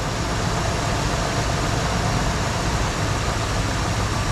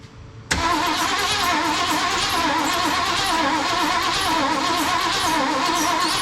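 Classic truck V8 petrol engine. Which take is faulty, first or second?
second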